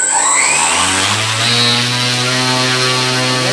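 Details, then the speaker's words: KDE Direct XF UAS ESC driving a motor on an 8S supply on a dynamometer at full throttle: spools up with a rising tone to a smooth, steady roar and even whine, peaking at 10,820 g thrust; runs cleanly. "so first thing I can do is go to full power and it's gonna move a lot of air and make a lot of noise but here we go"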